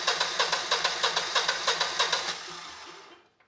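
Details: Generac GP17500 17,500 W portable generator (model 0057351), bought non-running, choke applied: steady starter cranking at roughly three beats a second, never firing, then winding down. Crank-no-start, possibly from a clogged carb.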